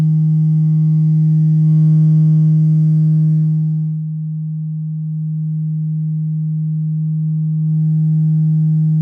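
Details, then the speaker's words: Vox AC10 tube guitar amp fed about twice guitar-level signal: a steady 200 Hz test tone with a buzzy rattling edge that fades midway; something in the cabinet resonates, possibly power tubes or metal parts. Cause not confirmed. "The only frequency that's causing this thing any grief is 200 hertz."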